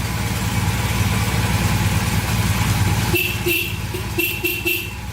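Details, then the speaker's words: 1982 Honda CM450 idling steadily after its first start in years: several short, clear horn toots over the engine. The horn works fine. "horns working wow not too bad"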